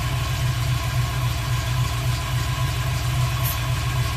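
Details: 1990 Ford Mustang LX (Fox body) V8 idling with a deep, uneven lope, one cylinder missing; new plug and wire did not fix it, distributor cap looks fine; owner suspects a dead injector or injector driver.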